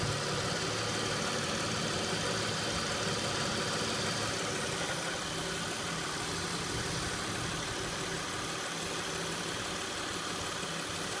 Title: 2006 Acura MDX rattle noise at idle.